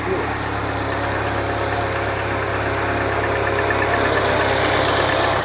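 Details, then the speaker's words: R56 Mini Cooper S, N14 engine, after rebuild with reconditioned head, new valves and stem seals: runs after cranking, lumpy uneven idle with stumbles and tapping, no fault codes; later found the camshafts were timed wrong. "It just needs cranking. It runs. It runs. Not very well, but it runs."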